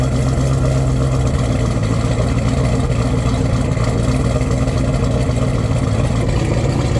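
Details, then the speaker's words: Twin-turbo Corvette Z06 V8 at operating temperature after fixing a melted fan connector and leaks: loud steady idle under a strongly rushing cooling fan, even and settled; no leaks seen, sounds healthy. "Fan is absolutely ripping. We got this thing up to temp. Seems like everything's good."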